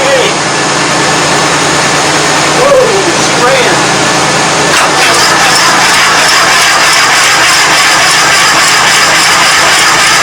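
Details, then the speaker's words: 1997 Craftsman GT 6000 lawn tractor with an 18hp 691cc Kohler opposed twin, after the seized cylinder was soaked in ATF: it runs roughly and briefly only on fuel poured down the intake, pointing to a fuel delivery fault. "This thing actually seems to run okay once it bumps off with the gas that I, bottle feed down the throat, but besides that, not too bad actually."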